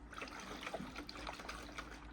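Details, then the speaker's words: 2018 Citroen Berlingo van, Cat S salvage rebuild: the additive tank, removed from underneath with some fluid left inside, gives slow irregular drips from one corner, a quiet trickle; the tank is leaking, to be repaired by plastic welding with a hot stapler. "And obviously under inspection and looking to see where the leak's coming from, you can see that there's obviously, it's there, it's dripping from here, and it's dripping from this corner here."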